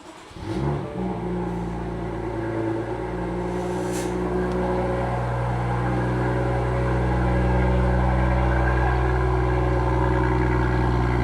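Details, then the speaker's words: BMW M2 F87 N55 with M Performance exhaust, tips wrapped in aluminum tape to cure a cold-start rattle: the engine cranks and catches, then settles into a smooth, steady high idle with no exhaust rattle, a normal cold start. "Doesn't rattle. So that's a wrap. The F87 now sounds beautiful. The M Sport exhaust does not rattle."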